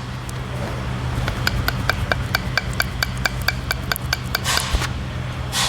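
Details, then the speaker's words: BMW X5 upper suspension arm ball joint, completely worn, rocked by hand: sharp, even clicking about four to five times a second, the knock heard inside when driving on bad suspension; joint moves far too freely. "ऐसी आवाजें आती है जब आप खराब suspension में गाड़ी चलाते हो तो जो आपको अंदर आवाज आती है ना कट कट कट कट तो ये वो आवाज रहती है"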